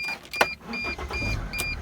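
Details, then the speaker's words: Mercedes Sprinter diesel van being checked for a no-start: a chime, then the starter catches almost at once and settles into a steady idle. This is the healthy, prompt start the van should have; the owner felt a slight hesitation. "come on comes on just fine turn it off again so it comes on good guys this is the way the van should really come on it should come on like really fast you know basically quickly on and off"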